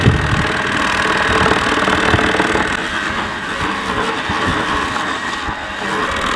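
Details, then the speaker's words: Mammotion Yuka 1500 robot mower working: steady mid-pitched whirring with a grainy rasp over the blade hum, coming from the large rotating brush in the collection basket; collection brush rotation noise. "alors elle fait du bruit parce que c'est le panier hein le panier il a une grosse qui tourne peut l' perercevoir je pense voà on l' pererçoit dedans c'est ça qui fait du bruit"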